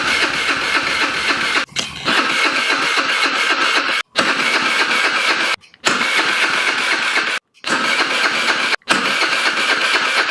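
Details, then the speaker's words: VIP 50cc Future Champion Chinese scooter with carburetor, doesn't start, battery needs charging: repeated fast starter whirring bursts, never catches; cranks but no start, carburetor and old fuel suspected. "the battery needs charging it's got a kick starter it won't start"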